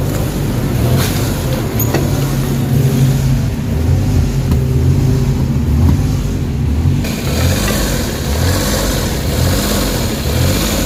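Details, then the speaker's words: Suzuki DA17 engine at warm idle after a few minutes of running: RPM rises and falls in slow repeating waves instead of holding steady. Idle hunting with no fault code stored; cause not yet confirmed. "Okay so nakita niyo yung sistema ng engine talagang taas baba yung RPM So ibig sabihin may problema yung makina"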